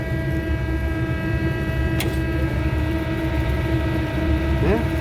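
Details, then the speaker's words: HVAC fan motor that had tripped, powered back on, drawing under its 3.4 A rating: steady motor drone with a thin constant whine on top, weird sound; worn motor bearings with shaft play. "i mean it's doing okay interesting it it has a weird sound in it though"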